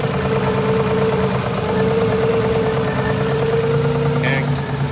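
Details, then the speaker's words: Nissan R33 Skyline engine at idle after new plugs, fuel filter, oil and vacuum-leak fixes: thin constant whine over steady idle; accessory belt overtightened when the head was done. "Tiny belt sounds a little bit tight, doesn't it? We tightened it too much when they did the head."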